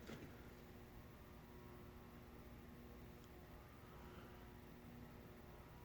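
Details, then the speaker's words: Casablanca Columbia ceiling fan with a metal-on-metal K63 motor, tested in a garage: only a faint, steady low hum with no ticks, rattles or wobble; it runs smooth and bedroom-quiet. "I definitely hear it now. It's not loud, though."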